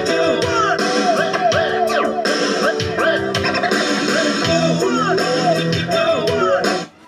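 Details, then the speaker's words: FT Star amplifier, left channel after repair of the right channel, which had distorted, weak sound; two power transistors replaced (unsure if both were faulty): clean, full guitar music at normal loudness with no crackle, buzz or distortion, now matching the other channel. "Yun mga boss, okay na to. Same na naman yung kanyang lakas. Di tulad kanina, hindi pa natin naayos."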